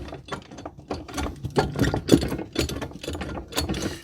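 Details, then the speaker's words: Kymco MXU 250 quad rear axle rocked by hand: irregular dull clunks and metallic knocks from play in every direction, lateral and more; brake disc binds and squeaks when turned. Rear axle bearings completely worn out, excessive play; axle and bearings to be fully rebuilt. "alors déjà rien que le jeu du disque ça vous donne une idée als Esser de faire un peu de netté et après et ben effectivement c'est encore pire que ça voilà à quoi quoi ça ressemble a du jeu dans tous les sens si bien en latéral qu'en"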